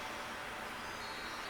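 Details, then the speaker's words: Twin Star 23EF020GRA electric fireplace blower after freeing the stuck fan motor by cleaning its shaft and bearings: smooth, even airy whoosh, slight noise at startup only, no grinding; heating works, normal running. "Il fait un petit peu de bruit quand il part, mais c'est tout. Tout est beau."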